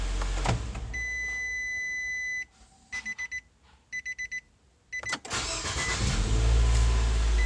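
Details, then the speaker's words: Dodge Durango after installing a used OEM salvage-yard starter for a suspected failing starter: dash chimes, brief crank, engine catches promptly and runs steadily; new starter works. "Alright, so new starter works for now. Let's go ahead, put it back together and send it."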